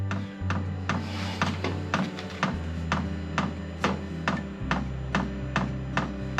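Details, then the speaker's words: HCalory SS2 diesel heater at startup: crisp, even ticks about twice a second over a low fan hum; fuel pump priming normally. "okay okay you hear the fuel pump priming right now"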